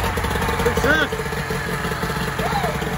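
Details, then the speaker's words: 1994 Mariner 30 hp outboard after carburetor cleaning and lower unit service, running in a test bucket: small two-stroke putters at a steady, even idle with no misses or knocks, revs up properly; running cleanly. "running okay that's a good sign she revs up when she's supposed to"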